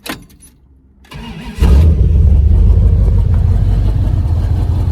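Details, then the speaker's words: Bone-stock 1971 Dodge Charger 383 Magnum 500 with original, somewhat worn cam, given one pump and started: short crank, then V8 fires cleanly into a deep, steady, even idle with no misses or knocks; normal cold start, great oil pressure. "Butter. Smooth. Check it out. It actually does run and drive very well."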